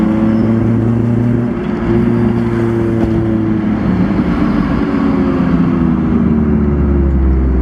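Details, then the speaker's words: Si car engine, problem started the same day: fine at light throttle, but under hard throttle and take-off it gives a loud, ragged, lumpy note, misfiring or running rough. The owner suspects a harness plug pulled loose by engine rocking; cause undetermined. "And this is the sound it is making, and it's only when I like light throttle, it's fine. It's only when I get on it."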